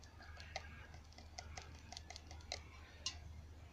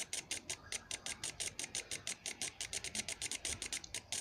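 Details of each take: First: Clogged fuel injector from an MZ21 Soarer, clogged 12+ years, bench-pulsed with an eBay cleaning kit and carby cleaner: irregular sharp clicks without settling into free ticking; still blocked. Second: Toyota Soarer MZ21 fuel injector, clogged 12+ years, on the bench with a DIY carby-cleaner cleaning kit, now pulsing and spraying freely with fast even bursts of sharp hiss about six a second.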